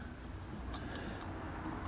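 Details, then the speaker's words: 1991 Volvo 245 throttle position sensor gives three crisp clicks about a quarter second apart over a quiet hiss as the throttle plate opens; sensor aligned on the throttle shaft, switching normally, while chasing an idle issue. "you align it until you hear it click"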